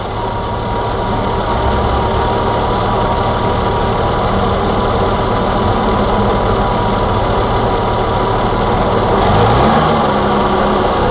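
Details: 1987 BMW E28 520i, M20 2.0-litre six-cylinder, 129 hp, nearly 400,000 km, running well again, various driving conditions: smooth, even engine hum at a steady pulse with slight rev rise near end; normal engine running.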